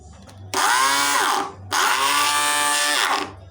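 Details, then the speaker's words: Arno blender run with jar fitted: two short bursts of high unloaded motor whine with a harsh edge, as the stripped drive coupling where the nut seats no longer transmits power to the jar blade. "espanou aqui onde onde a porquinha fica alojada aqui espand não tá passando mais a a força pro copo"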